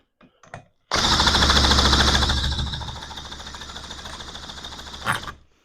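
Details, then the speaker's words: Johnson Seahorse outboard after carburettor refit and impeller change, cranked with a drill, no choke, fuel shutoff position uncertain; about four seconds of cranking with faint coughs, never catching; hard start, fires but won't run. "sounds like it is trying it's getting better I think no joke do we need more speed on the drill"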